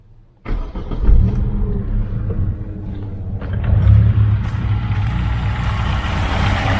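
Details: Chevrolet Aveo T250 with added LPG equipment, running rough at idle on petrol; the owner reports no problem on gas. The engine idles unevenly with irregular pulses, like a misfiring cylinder. The scanner shows no codes. The injector winding is intact but no control pulses reach it.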